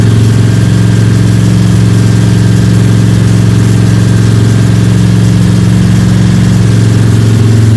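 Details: Freshly built Ford 302 Cleveland V8 with Holley Sniper and new electronic distributor, first start, fast idle for cam break-in (~10–15 min), timing around 31°: steady, smooth, even drone, no ticking or rattles; healthy normal high idle.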